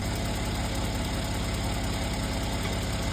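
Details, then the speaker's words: Mercedes C43 AMG with the M276 petrol V6 idling steadily: a light, quick ticking rides on the engine note, the common lifter noise from worn valve lifters/tappets. "This tutorial is going to help with the very common lifter noise that you hear on these engines."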